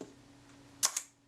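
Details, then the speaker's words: Kodak Retina IIa leaf shutter being serviced, fired by hand at 1/10 second: two crisp, snappy clicks about a tenth of a second apart. Normal shutter operation at that speed, before a shutter-tester check. "that sounded credible too so that's all looking very good"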